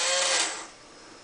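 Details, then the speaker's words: Fischertechnik pneumatic hand, pivot motor under load: small motor whirs with a high whine and harsh rasping grind, then drops away suddenly as the gearbox slips out of mesh. "let's press it a bit further and and there we have it again as you can hear the gearbox has come"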